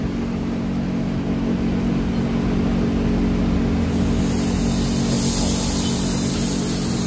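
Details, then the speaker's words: Synapse blow-off/diverter valve on a shop-air leak test, B port only, regulated line pressure: steady rush of escaping air; it seals at high pressure but leaks at low pressure, with a missing O-ring and an apparently unmachined landing. "it sealed up really high-pressure it seals up low-pressure it leaks"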